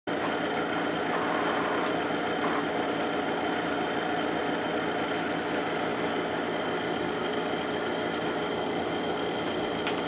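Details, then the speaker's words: Pellet stove exhaust blower: steady, rough, gravelly whir, not as loud or squeaky as it normally gets; top and bottom motor bearings are shot, new bearings to be fitted. "right there both top and bottom bearings are shot so today I've got new bearings I'm going to replace it"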